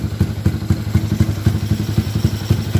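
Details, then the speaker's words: Yamaha LC135 with a 34mm PWK carburetor and a fast-throttle cable rerouted, ignition timing now correct: a steady, even single-cylinder idle thump firing cleanly with no misses or clatter. "Kita dah jumpa jalan kabel throttle. Ni timing pun ngam."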